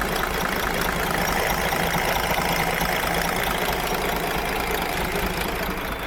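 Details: Model year 2017 DAF XF with MX-13 engine: rough diesel idle with fast metallic tapping over the clatter; parts broken off the exhaust brake rocker are still pushing on a valve.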